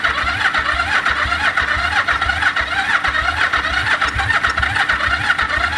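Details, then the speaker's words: 1974 Yamaha TX500 twin, barn-stored 20+ years: a steady starter churn with a weak uneven pulse about twice a second; no firing yet. It started moments later; the carbs need work. "It does have a choke. Come on. It's trying. It's starting to pull fuel. It's trying."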